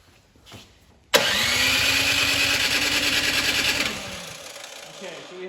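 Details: Troy-Bilt Storm 2665 snow thrower (model 31AM6CP3723), sat two seasons, choked and primed but no air felt through carburetor: electric starter whirs about three seconds with no firing; crank no start, carburetor blockage suspected, ignition not yet checked.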